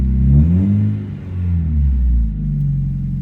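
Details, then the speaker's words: 1991 Mazda Miata, 140k miles, many aftermarket parts, first start after a dead battery: low even engine note swelling with a couple of throttle blips and settling back smoothly in neutral; no knocks or misses, sounds healthy. "is not too bad"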